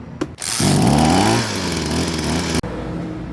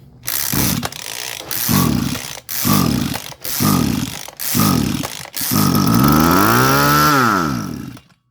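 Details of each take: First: Small petrol engine on a high-pressure water sprayer after carburetor main jet cleaning (clogged by stale fuel, previously surging and stalling on throttle): revs up quickly, pitch climbs smoothly, normal revving. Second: Small engine on a high-pressure water/fertilizer sprayer with a float-type carburetor that won't rev and dies. With fuel sprayed in it fires briefly, revs and dies, so spark and compression are good; fuel starvation traced to a clogged carburetor needing its jet cleaned.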